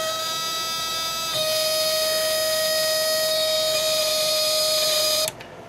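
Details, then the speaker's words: Snap Circuits project 343 half-wave rectifier circuit: relay contacts open and close rapidly feeding a step-up transformer, making a steady high squeal that shifts pitch, then stops, as the LED flickers; normal relay chatter. "i don't know how the camera is picking it up but sometimes you can see the led just briefly flicker a little bit as the sound changes on this relay"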